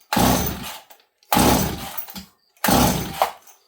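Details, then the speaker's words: Stihl 026 chainsaw, blue spark confirmed: three hard recoil pulls, each a short rough churn dying away with no firing catch; seems to be getting fuel but won't start, owner suspects flooding; it later fired on choke. "the weird thing is about this s this time is it seems to be getting fuel but it hasn't popped off yet I don't hear it fire"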